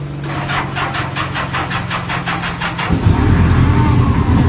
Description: Seen this Honda Gold Wing for sale but sound like it missing a cylinder on start up what you think